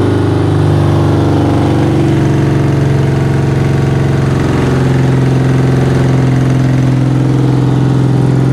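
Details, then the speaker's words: 1975 BMW R90 boxer twin at its first start after 12 years of poor storage, firing right away after a battery recharge and smoking slightly from an unknown source. Loud, even burble at a steady speed with no knocks or rattles; it runs cleanly. "ça fume un peu je sais pas très bien d'où ça vient alors évidemment j'ai dit je vais recharger la batterie je coupe la vidéo et puis j'ai dit remets un coup ça démarre tout de suite c'est dingue"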